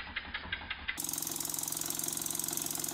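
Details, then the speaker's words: Burnac Vulcan model steam toy engine after rebuild, test run on compressed air: quick, crisp exhaust beats about three per second, very even in timing and strength, so the oscillating cylinder works perfectly despite a wobbly flywheel and crankshaft. "but you can hear that the beads are very even so the mechanics of the oscillating cylinder are perfect"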